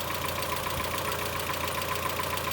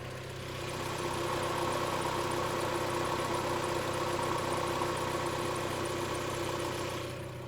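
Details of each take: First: Mazda Miata petrol engine at idle with quick, even metallic lifter ticking; Rislone engine treatment added with oil change, PCV valve also replaced; much quieter after about 24 hours. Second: Mazda Miata petrol engine idling smoothly after Rislone engine treatment, sitting 24 hours and PCV valve replacement: lifter ticking has subsided, though still slightly louder on cold start.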